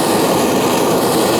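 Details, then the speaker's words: BRS multifuel stove from AliExpress, first run as a gas stove. Even, steady hissing roar with no sputter or pulsing; it burns cleanly and normally. "Sounds good."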